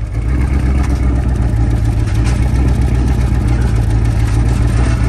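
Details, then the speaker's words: 2016-2019 Cadillac CTS-V 6.2L LT4 supercharged direct-injection V8 at startup: deep idle with uneven, lumpy misfire, smoking, strong fuel smell on driver's side; stuck, leaking injectors under supercharger, two injectors replaced. "like a lot of gas on the driver's side so you can hear it's running a little rough like if it's misfiring"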